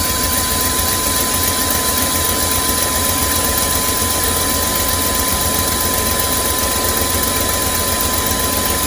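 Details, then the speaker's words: 2001 Chevy Express van, 4.3 V6, sat nearly three years; after spider injector, ignition coil and distributor replacement, started on starting fluid: lumpy, shaking idle with hiss and smoke. Rough-running misfire; check-engine light went off. "shaking [Music] looking pretty bad as it should there was a lot of stuff going inside that engine"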